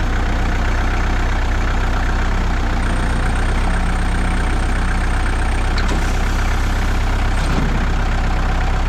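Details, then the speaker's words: Warmed-up 2002 Kubota MX5000 DT tractor, about 960 hours, after a new hydraulic filter cured a squealing pump and dead, jerking hydraulics: diesel holds a steady, deep drone at raised revs with no pump squeal or whine; hydraulics normal. "so I went to Kabota brought a brand new filter put it on and the tractor Works without any problems"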